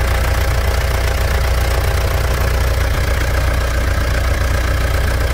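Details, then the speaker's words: Mitsubishi Pajero Dakar 3.2 diesel after valve adjustment and new timing chain tensioner: steady even idle with smooth low rumble, no ticking or chain rattle; normal idle. "após a regulagem de válvulas e o tensor da corrente novo o motor tá numa MZ de funcionamento vai lá"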